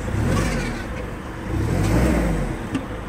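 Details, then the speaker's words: Sumitomo FG15 1.5-ton automatic forklift, 4-cylinder engine, 1500 engine hours: low, smooth engine note swells up under throttle and settles back without knocks or rattles; revs cleanly, healthy. "Запускается легко и без проблем. 1500 мотор-часов у него наработка. Я думаю, что даже вы сейчас не слышите шум двигателя. Может быть, если я погазую, то услышите."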